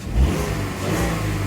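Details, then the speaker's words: Mk4 VW Golf restarted after fixing a cylinder misfire, with new spark plugs; the engine revs cleanly and evenly with no stumble or miss, and the fault codes then clear. "so we should not now have a misfire fingers crossed fingers crossed says let's jump in ah all right let's start right now oh yeah yep no misfire"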